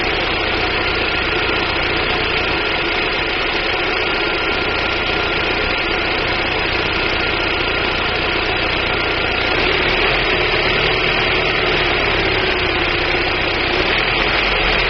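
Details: 1999 Daewoo Nubira 2.0L DOHC U20SED engine: uneven, loping idle with irregular stumbles that persist as revs change; misfire, with weak spark from the DIS coil suspected but not confirmed.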